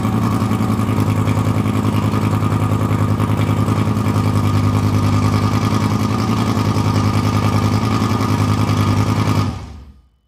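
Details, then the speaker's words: Fire-damaged Lamborghini Gallardo LP520 V10 during repair, first start: choppy pulsing idle about three beats a second, one exhaust side stronger, before shut-off; misfire, not running on all cylinders, leaking injector found. "He's already doing better, but I don't think he's running on all cylinders, because here it's coming out really strong, and here it's not."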